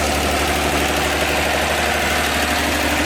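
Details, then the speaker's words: 1954 Chevy 210 two-door coupe that sat for an unknown time, distributor found wired backwards: loud, steady, even idle with no knocks or misses and oil pressure showing; normal idle, motor runs good. "Motor runs good. We got oil pressure."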